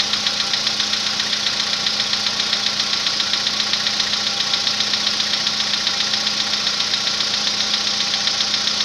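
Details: March 2014 Volkswagen Polo Sedan at 67,000 km, cold start: crisp regular tapping about 150 times a minute over idle, began around 65,000 km; decoking later made it quieter and shorter but did not cure it.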